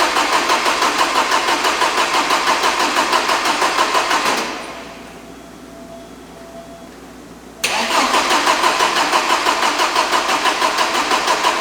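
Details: 1987 Porsche 924S after clutch install: steady cranking about three beats a second that never catches; no fuel to injectors, later traced to a broken wire from DME relay to injectors.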